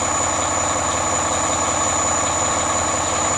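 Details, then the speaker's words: 2010 Volvo big-rig diesel truck, cold start at about 20 degrees outside: steady, even idle with a deep rumble and smooth regular beat; no misses or knocks, healthy. "But yeah, you guys can hear it run. I think it's like 20 degrees out, so it's amazing how quick new diesels"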